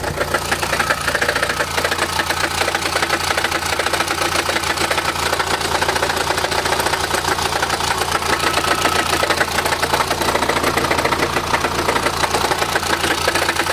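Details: Chrysler Grand Voyager 2.8 CRD automatic diesel at idle, in park, drive or reverse: uneven fast metallic rattle over a rough rumble, about two beats a second, little at higher revs; badly cracked flexplate in the bellhousing, fixed by replacing it.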